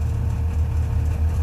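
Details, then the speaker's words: Subaru 360 van two-stroke, after a rev to about 4,500–5,000 rpm: fast even drone hangs at about 2,100 rpm high idle instead of dropping back; needs further adjustment. "it's when you're sitting at a stop light you want it to come down now it's hanging there 2100"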